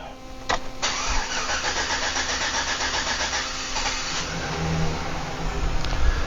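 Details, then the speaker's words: 2008 Chevy Silverado 1500, cranking: starter churns for over three seconds before it catches and settles; labored, extended crank caused by fuel pressure leaking down after shutoff, traced to a faulty fuel pump module with its internal regulator. "as you can see it's clearly struggling to start and the standard crank"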